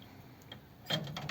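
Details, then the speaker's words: 1932 Ford with a Volvo 4-speed overdrive transmission in fourth gear, microphone by the solenoid, switch cycled on and off: quiet background, then a few sharp distinct clicks as the overdrive solenoid pulls in and releases cleanly. "so printing fourth gear now if you listen and i'll put the phone down by the solenoid so you can hear it off"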